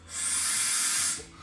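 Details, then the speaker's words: Carbureted, air-cooled 88-inch Harley-Davidson Fatboy Softail that sat five years: cleaned carburetor passage blown with compressed air. A steady airy hiss for about a second shows the passage is clear. "let's just give her a little shot of compressed air up in that sucker. All right, you see we are definitely clear."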